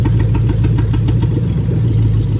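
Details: 2000-2003 Lexus LS430 3UZ-FE VVT-i V8 on a new engine harness test, injectors unplugged one by one at idle. A regular lumpy beat replaces the smooth purr, marking the misfire of a dead cylinder.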